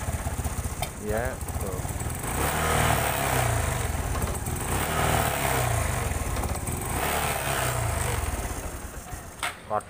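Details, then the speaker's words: Honda Supra 125 fuel-injected motorcycle with no MIL code: uneven, limping idle with dropouts and stumbles before it stalls. The spark plug was checked and an ECU reset failed; the cause was cam chain timing that was off. "Waduh, malah mati. Suaranya pincang."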